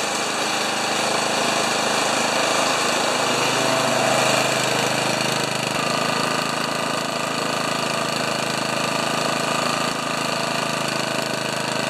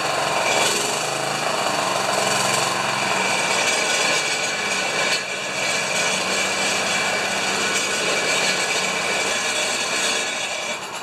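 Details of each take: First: Honda HRA214 mower unused for two years, after cleaning plug, new gas and draining carb bowl; single-cylinder engine holds steady even buzz at about 1500 rpm idle, no surging or stumbling, then cut off; normal idle. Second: Honda HRA214 lawn mower running with a harsh, uneven metallic rattle of about four raps a second. Owner suspects the clutch, the rear metal baffle or the grass scraper; not confirmed.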